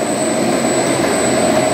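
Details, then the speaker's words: Ice cream machine motor test after replacing cracked bearing that caused a ticking "tig tig tig" noise: steady, even hum with thin high whine, no ticking or rattle; the noise is gone. Normal motor running after repair. "Yan. Nawala na yung ingay. Yung dati, yung ingay to, tig, tig, tig, tig, tig, ganon. Parang yun na, may basag na bearing."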